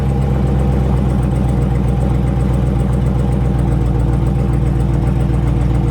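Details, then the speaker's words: Brand-new 2020 Dodge Charger 392 Scat Pack HEMI V8 at start-up: a steady low idle with a faint, quick light ticking from the top end. The owner attributes it to the lifters hitting the cam as a HEMI design trait; this is unconfirmed. "what that sound is that you're hearing is the lifters hitting the cam and that's what they call a hemi"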